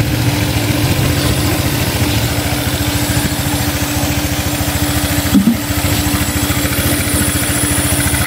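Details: Honda Click 150i scooter that wouldn't start because of a faulty part, now running after the repair. It ticks over at a steady, even idle with a constant low hum and sounds healthy.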